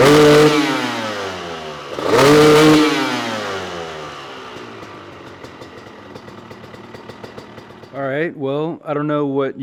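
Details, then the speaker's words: Honda CR250 two-stroke supermoto, Mikuni carb after main jet swap to a 400, warmed up and revved half to full throttle: revs climb and fall cleanly, much better on top though still not fully crisp; owner considers an S8 nozzle or 390 jet. "guys think but it sounded like it was running a lot better on the top from half to two full throttle and it's still not super crispy like I think it should be"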